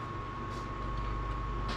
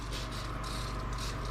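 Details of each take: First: 1990 one-ton Ford Bronco project at key-on, with an added wire to the ECU ground so the pump runs continuously, priming with a couple gallons in a near-empty tank: steady faint electric hum with stray ticks; the fuel pump runs normally, described as noisy. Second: 1990 one-ton Ford Bronco project priming its fuel system at key-on after months of work: low pump hum under a pulsing high hiss as fuel sprays out; owner thinks an injector is leaking.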